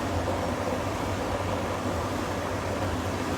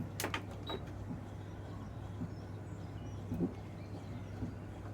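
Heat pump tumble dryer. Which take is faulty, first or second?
second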